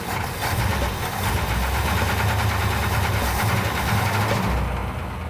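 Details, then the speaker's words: Freshly rebuilt original 340 V8 in a Cuda, damaged by sand poured down the carburetor: loose, uneven metallic knock over a steady idle; source unidentified, suspected lifters, valve train, flex plate hitting the shield, torque converter or bottom end. "alve train if it's in the lifters if it's telegraphing out of the torque converter where maybe the flex Plate's hitting the The Shield is it a lower bottom end I don't know what it is"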